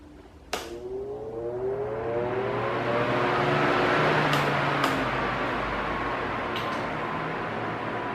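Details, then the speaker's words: Arno Silence Force 40 cm fan, nearly two years old, on minimum speed: after a click spins up to a soft even whoosh, faint low hum, slight constant vibration, no rising-falling noise; normal. "Esse já tem quase do anos de uso, né? E mas você veja que é bem diferente do que ficar subindo, descendo o barulho aí, né?"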